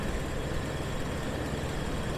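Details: 2002 Jeep Wrangler TJ 4.0 inline six idling after new serpentine belt tensioner and idler were fitted; steady, even low rumble with no squeal or chirp from the belt drive; normal, healthy idle.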